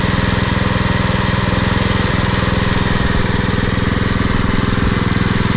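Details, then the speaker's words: Troy-Bilt Super Bronco CRT rear-tine tiller, 208cc overhead-valve engine, after cleaning its clogged carburetor jet, still burning old gas, choke off: steady, even thumping idle with no misses; normal idle. "let us sit here and run a bit and this Troy build super bronos is running much better now"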